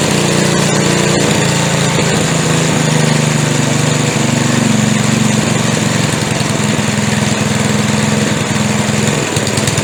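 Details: McLane edger after carburetor adjustment (a 5/16 fitting tightened): buzzing along at a steady fast speed, even note with no stumbles. It runs cleanly after the adjustment.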